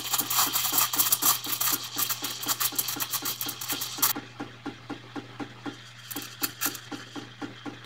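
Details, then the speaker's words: Zuriga E2-S espresso machine steaming milk through the steam wand; steady hiss with quick, light knocking about five a second over a low hum, attributed to the thermoblock heating water leaving the boiler; normal. "hört dieses leichte klopfen würde auch sagen das ist nennen wir es mal Thermoblock der das Wasser mir aufheizt am Weg raus aus dem Kessel"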